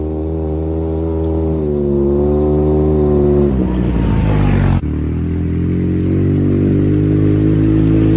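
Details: Polaris RZR just after a head gasket replacement, first start-up: revs climb, then the engine falters and nearly dies with a rough uneven stumble on throttle before recovering. Owner suspects the mass airflow sensor, throttle position sensor less likely.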